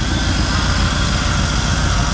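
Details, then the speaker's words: 1974 Chevrolet C10 with claimed Corvette small block, revived after 10+ years off the road, idling warm for a while at about 160 degrees with thermostat working: smooth, even, steady low rumble, no knocks or misses; healthy. "So most of this engine should be in the neighborhood of hot. I don't believe it, but she's been idling at 160 for a while. Looks like the thermostat's doing its thing."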